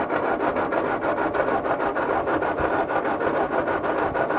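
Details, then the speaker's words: Old tractor with new coil, distributor and plugs, battery around 11 volts, fuel leak noted: steady cranking about 100 rpm with no firing; owner suspects no spark, cause unconfirmed. "that should be firing right off there shouldn't it we put a new coil new distributor all that's new on here plugs are new so I know it's but it sounds like it's not getting sparked don't it"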